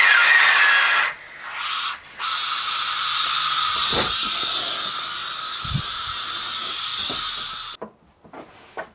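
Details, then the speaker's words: Foden steam wagon injector steam valve, bench air test at about 15 psi before lapping: steady sharp hiss of escaping air. Leak past the valve and seat, which didn't look bad, with no cracks found. "the valve in the seat didn't look that bad but there's no else it can be leaking past really nowhere at all there's no cracks or nothing in there"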